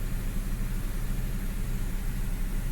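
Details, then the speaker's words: 2015 Subaru Crosstrek CVT after fluid service, idling: steady low engine hum with no whine after topping off the fluid a third time; relearns not yet done. Normal CVT operation, no whine. "I'm going to add some more third time topping it off I wasn't comfortable with whining like that I no longer hear it"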